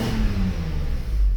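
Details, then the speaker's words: Mercedes 600 SEL V12 with EGAS throttle computer, vacuum pump noisy from worn vanes: from idle a short deep rev picks up cleanly and evenly with no stumble. Normal throttle response. "As you can see, accelerates like a beast, the same way it's supposed to be."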